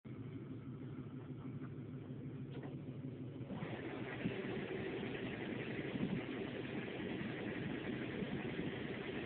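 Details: 2006 Toyota Prius petrol engine running with a rough, rattly rumble and uneven knocking from the engine compartment; after a few minutes the red triangle warning appears and it shuts down; cause unidentified.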